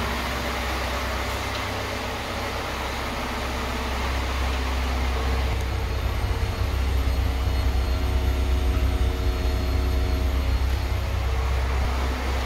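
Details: Lada Niva right after fuel pump replacement (old filter clogged): engine catches and settles into a steady low idle with even rumble, no stumbling or misfire; running normally.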